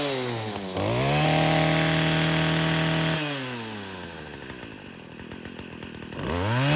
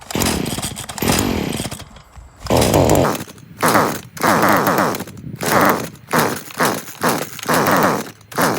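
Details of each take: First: Stihl FS40C trimmer running after a new spark plug cured its no-start: crisp two-stroke buzz revs cleanly up and drops back to a steady idle without stumbling; normal running. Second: Stihl FS40 string trimmer with fresh fuel mix and the spark arrestor already removed: about nine pull-starts, each a short sputtering burst that dies straight away; the spark plug is oily and carbon-fouled, causing the no-start.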